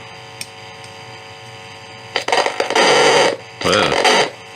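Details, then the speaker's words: Philips 206A valve radio built in Holland around 1940, under restoration and tested with a signal generator/tracer: steady mains hum under bursts of hiss and crackle, no station reception; suspected tuning and amplifier faults, possibly a non-working oscillator. "zoals dat hmm dat klinkt alsof het daar werkt, niet hier, er is daar niets, dus het lijkt erop dat we een afstemmingsprobleem hebben en een versterkerprobleem"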